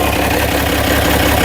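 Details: International DT360 diesel on test stand before swap into 1973 Ford F250, restarted to check blowby: fires and settles into steady even idle, firm low pulse, no knocks or misses; basically no blowby, healthy.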